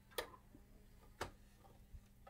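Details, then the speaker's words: Bose 3-disc CD changer that had a stuck CD and a loud clinking noise, test CD in drive 1: a few crisp, sparse mechanical clicks in a quiet room as the drive loads and spins up the disc, working normally. "reading the disc and we should hear some sound come from it"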